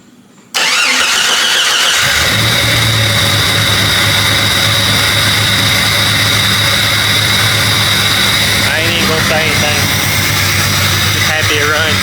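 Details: Jeep Cherokee XJ, restart after a blown fuse that had caused a breakdown was replaced: brief fuel pump whir, then the engine catches within a second and settles into a steady, even idle with no misses; normal start.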